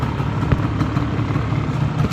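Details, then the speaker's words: 1987 Yamaha Banshee 350 twin two-stroke, first start after sitting over 10 years with fresh gas, warming up. Steady, even popping idle with no knocks or stumbles; normal idle. "Listen to that baby purr. I could get used to this."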